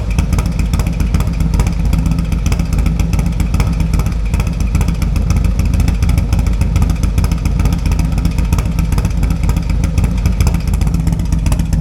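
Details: 2024 Harley-Davidson Road Glide M8 with .520 lift cam, tuner and Fuel Moto 2-into-1 pipe: deep, loud, lumpy V-twin idle with steady throaty exhaust beat and no knocks or ticks; normal idle.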